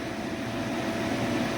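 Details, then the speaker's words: Lennox furnace (installed 2007) with replaced inducer/exhaust vent motor, running a few minutes: smooth, even blower hum with steady mid tone and no rattles or scraping; normal running inducer motor. "we have it it's been running for a few minutes it's still nice and quiet"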